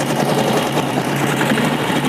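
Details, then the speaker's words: 1956 BSA BB31 single-cylinder motorcycle, started by hand: steady, even idle with a constant low beat, smooth throttle, no knocks or misses; healthy engine. "Wow anteng banget gasnya dan suaranya juga cukup halus dia menurut saya dengan buatan tahun 1956 kondisinya seperti ini ini keren banget ya"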